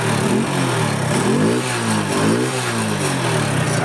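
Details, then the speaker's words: Hero Honda CD Deluxe bike after engine repair that fixed a previous rattling "jhar-jhar" noise: picks up cleanly and drops back smoothly on each blip, no rattle or knock; normal revving. "पूरा rest ले पा रहा है और कोई भी problem नहीं है। इंजन का भी कोई साउंड नहीं है गाड़ी में।"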